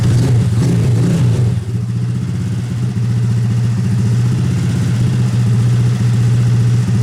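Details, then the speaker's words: Honda Grom engine after full rebuild, exhaust valve clearance readjusted slightly tighter to cure ticking: revs up then settles to an even, steady idle with a clean beat; ticking gone, running well on a rough tune. "all right sounds like that chicken went away it's actually running really good"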